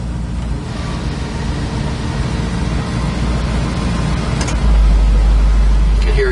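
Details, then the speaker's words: 1965 Ford Mustang idling, oil pressure about 55 psi, temperature just coming up. Air conditioning switched on: a deeper load comes in and the idle slows as the compressor clutch engages and starts blowing cold; normal AC engagement. "You can hear it kicking on. The motor just slowed down here. Compressor kicked on and it's starting to blow cold."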